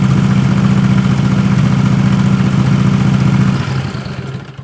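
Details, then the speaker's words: 20 HP Tecumseh twin-cylinder racing mower engine with dual 34mm PVK carbs, after air screw tuning: a steady even low putter at fast idle with no misses or hunting, then revs drop away. It runs clean, much better than before. "So, I just confirmed it's running much better. It's running clean."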